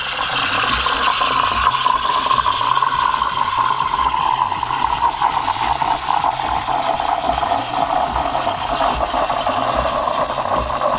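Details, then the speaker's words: De'Longhi Dynamica FEB 3515.B steam wand, machine hot, frothing milk for cappuccino; even hissing steam with gurgling rattle lowering slightly in pitch as milk foams; normal, healthy wand. "on peut jouer sur l'inclinaison également voilà la mousse elle commence à prendre une belle forme j'ai des micro buulles"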